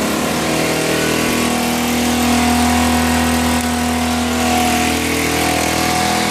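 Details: 2008 Baotian Tanco 50cc four-stroke scooter, running after a start that can take 12 minutes: quick, slightly uneven putter with steady tone; engine running after hard start, cause unknown.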